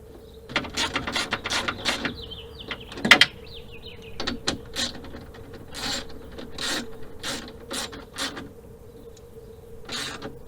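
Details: GM Colorado/Canyon/H3-type truck power window after window regulator replacement: a light, steady motor hum under quick ratcheting clicks as the glass travels down, working normally.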